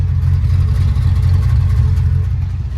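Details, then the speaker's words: Engine after removing a Chinese Motorcraft 2150 carb and refitting the previous carb, cap and rotor cleaned; low idle still slightly shaky, uneven chop in the beat, rough idle; owner suspects rich-fouled black spark plugs, fuel tank near empty. "It's still a little shaky. I'm sure you can hear the idle, but I'll get closer for you guys."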